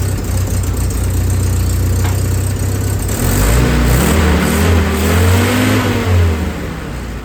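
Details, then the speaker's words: Willys M38A1 Jeep four-cylinder at first start after tune-up for a small miss: new distributor cap, rotor, condenser, points adjusted. Deep idle climbs smoothly with throttle and drops back evenly, no misses or knocks; idle needed turning up slightly. "Feels like you need to turn up the throttle just a little bit."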